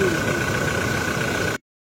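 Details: 2016 Toyota Innova Reborn diesel, after fixing a rough noise located by stethoscope at the alternator (alternator one-way pulley): steady, even diesel clatter idling normally with no rough rumble underneath; noise gone.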